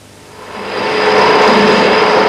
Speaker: you can hear what a badly fitted bearing sounds like and you can see the ragged result this is known as chatter